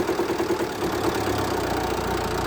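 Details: Jeep Compass 2.0 diesel (TD 350) trembling and idling unevenly from start, with a strong, rapid knocking like pinging over the engine note, also on light throttle; cause shown as a faulty diesel injector.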